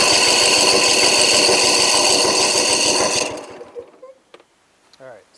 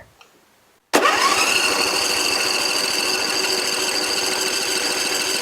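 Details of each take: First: Briggs & Stratton 24 hp twin on a Husqvarna mower, revs high but loses power under load, throttle wide open while cranking: one cylinder builds 145 psi, this one doesn't; even cranking about three beats a second; low compression, possibly valves or a blown head gasket. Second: Briggs & Stratton 24 hp on a Husqvarna mower, low on power under load, pressurized oil system. Cranking compression test reads 150 psi after a valve adjustment. Strong, even starter churn with no weak stroke, so compression is normal.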